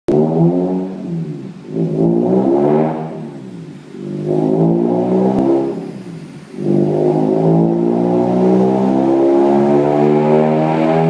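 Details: Mazda RX-8 rotary engine revving up and down in repeated pulls with a rough, uneven buzz through the rise, a misfire.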